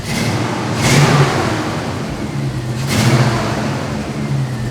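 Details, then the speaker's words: C10 truck "Crusty" V8 with a newly built custom exhaust, no gaskets and only a couple of welds per joint. Deep, full rumble swelling with two throttle blips and dropping back smoothly, no rattles or leaks. Normal revving. "Dude, that sounds real good. Yeah, it's not bad. It sounds like a truck, you know, like."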